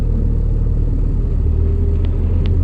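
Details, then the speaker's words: 2012 Suzuki SX4 AWD CVT, in-cabin on a test drive: heavy low droning rumble and vibration at low speed, gone just above 60, unchanged in neutral; seized universal joint on the rear driveshaft. "it's really obvious. There's an issue there of some sort. Seems to be, and it's gone. Just above 60 it disappears, but at low speed it's there."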